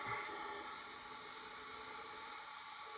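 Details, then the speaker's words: Leak-down test on an old front-engine dragster motor that sat about 30 years, engine not running: steady airy hiss, not from intake or exhaust, leaking past the rings through the holes behind the oil ring. "I can feel it down right at the bottom of the cylinder yeah right on the Rings coming in around the oil rings yeah cuz there's little holes in there behind the the ring and that's where it's coming in"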